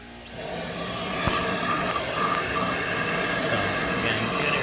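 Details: 2015 Chevy Equinox 2.4L with code P0411, secondary air pump kicked on after key cycle: steady high electric whirring hum; pump pushes air normally, clogged ports found as the cause.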